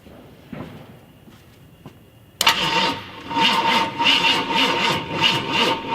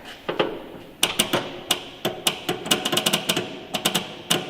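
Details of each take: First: 1969 Ford F250 Ranger 390 FE big block, off road since 2008, cranking without firing: fairly even healthy compression pulses, maybe skipping on one or two; weak battery, oily engine, plugs likely fouled. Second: 1969 Ford F250 Ranger camper special, 390 FE big block, off the road since 2008: sharp, irregular clicks with no cranking on a crank attempt after filling the float bowl via electric pump; dead battery.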